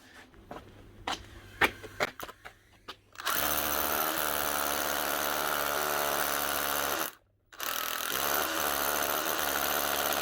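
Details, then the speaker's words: Makita DHR242 18V cordless SDS drill after fitting new switch and rubber cap: clicks and handling knocks, then clean steady motor whir, brief stop and restart; runs evenly, normal. "that's that new rubber cap that should run a lot better much better"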